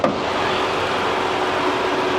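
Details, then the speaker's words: 2007 Saab 9-3 Aero turbo V6 convertible, bought as a hail-damage salvage car, hood open after a 5-mile drive: a steady, even whoosh of the electric cooling fans with no rattle. The fans run normally, with no smoke or smell. "cooling fans running like it's supposed to I don't smell anything I don't see any smoke coming out from under the hood"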